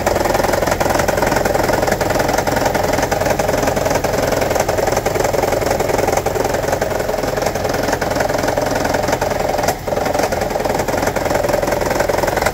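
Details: 2009 Toyota Prius 1.5 hybrid, check engine light, P0304: uneven idle, light rattle, regular stumble about three a second; cylinder 4 misfire from shorted spark plug plus low compression, coil ruled out, fixed by replacing plugs.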